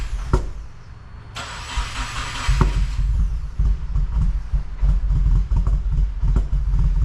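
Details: 2015–2021 Subaru WRX FA20 first start after engine rebuild, six months off, fresh 93 fuel, new tune: short crank catches quickly and settles into an even, deep idle with no knocks or misses; oil cooler fitting leak found afterwards.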